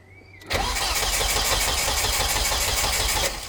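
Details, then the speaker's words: Volvo S40 with Holset HX40 turbo on new Speeduino ECU, fuel pump re-pinned to ECU with 120 s prime: steady cranking about four turns a second for three seconds, no firing; injectors firing but no spark because ignition coils weren't grounded. "i know exactly why the um strobe isn't strobing is it no no because the coils aren't grounded"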